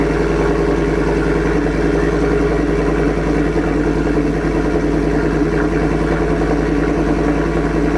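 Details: 2024 Ford F-150 single cab, 5.0 V8, after a Corsa catback exhaust install, checked for leaks. A deep, steady idle burble with an even pulse and no ticks or exhaust-leak puffing; normal idle.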